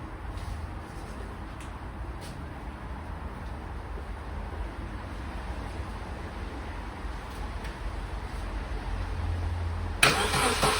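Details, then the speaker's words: Vauxhall Corsa B barn find, just started: oil pressure comes up straight away, quiet steady idle hum with no tapping or rattle; healthy small petrol engine. "that oil pressures on straight away a new sounds nice"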